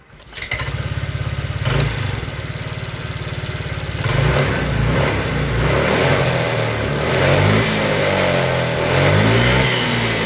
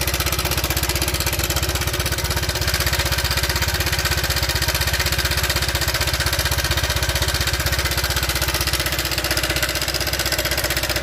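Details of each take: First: Honda Vario Techno 125 scooter after replacing a failed, fallen-in tensioner that caused a rough engine noise: starts, revs smoothly and idles evenly with no rattle, engine now normal. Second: Honda Vario Techno 125 scooter with rough engine complaint: loud metallic top-end clatter at idle from cam chain rattle; oil very black, cam chain tensioner stopper broken and needs replacing.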